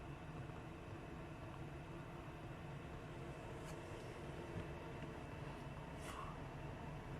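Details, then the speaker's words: 8 kW Chinese diesel heater newly installed in a static caravan, just fired with the pump running: quiet, even whir and soft burner roar, steady with no surging or popping, temperature rising. Running normally. "yep that's on working beautifully haha temperature rising"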